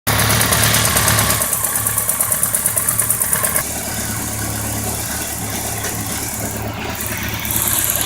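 Motorcycle idling with a sharp regular tick, about four a second, riding over the engine beat and following idle speed; ticking knock, cause unclear.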